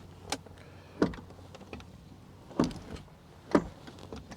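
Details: 1999 Mercedes S420 (W140) after replacing the door check/stop: a few distinct clunks about a second apart as the door swings and catches; door now holds properly at each stop.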